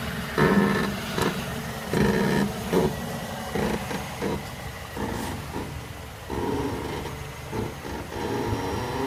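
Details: 2006 Mazda 6: irregular groaning creaks with a wavering pitch from somewhere near the driver's side front wheel, exact source unknown; no play was found with the wheel off, and greasing a bushing didn't help.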